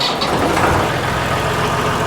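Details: Massey Ferguson 240 diesel tractor started right after an injector pump rebuild: catches straight away and settles into a steady, even clatter with no misses; normal diesel start.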